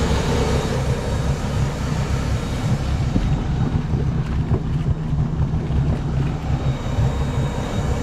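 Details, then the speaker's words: Volvo Penta 4.3 L V6 200-A sterndrive after new spark plugs and fuel filter/water separator: steady even low drone, no misses or knocks, fuel pump noise gone once refilled; running smoothly. "And so, now it sounds like it's running good again. Or you don't hear the fuel pump, anyway."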